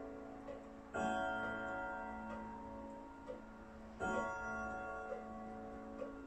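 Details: German Hermle three-spring Westminster chime clock with 85 cm pendulum, after movement overhaul, set to strike only on the hour: soft, even ticks with clear ringing tones fading out; runs steadily, normal ticking.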